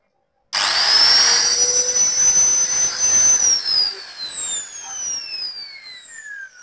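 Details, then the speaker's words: Makita/Maktec angle grinder after replacing destroyed bearings that made it stick: switches on, climbs quickly to a steady fast high whine, coasts down smoothly, no broken-bearing noise; normal run. "Alhamdulillah mesin gerindanya kembali hidup normal ya bray dan putarannya juga sangat kencang dan tidak ada bunyi eh bearing yang hancur ya"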